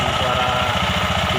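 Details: Injection scooter idling after CVT cleaning and bearing replacement: a coarse, rough churning under the engine pulse, steady throughout; the noise is suspected to come from the engine or CVT area, not confirmed. Rough noise from CVT area.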